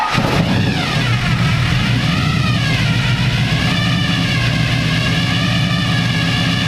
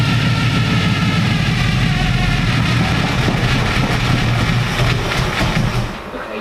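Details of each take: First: Stock 350 V8 with 6-71 supercharger and two carburetors in NASCAR car, first start, after richening carburetors, fuel pressure 6 psi; blips then strong even lope with steady blower whine until shutoff; normal idle. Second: Supercharged stock 350 V8 with a 6-71 blower and twin carburettors, first start: a deep, lumpy rumble runs rough for a few seconds, then sags and dies as it runs out of fuel. Fuel pressure was later checked at 6 psi.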